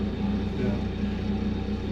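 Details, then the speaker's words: John Deere 135C excavator, Isuzu diesel, 10,463 hours, 1/8 tank of diesel, just started: steady low diesel thrum with even quick pulse, no knocking or grinding; normal running. "did you hear that thing start? Just Sounds good. like a kitty cat."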